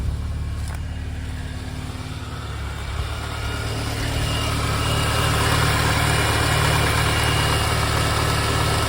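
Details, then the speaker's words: VW Golf MK2 GTI 16v at its first start on a fresh battery after sitting untouched for six weeks or more, heard at the engine: even, steady idle with a smooth regular beat that holds without stumbling; sounds healthy. "Sounds good. Yeah, that sounds good. Wow, that's brilliant. That's so good. Yeah, that sounds really good."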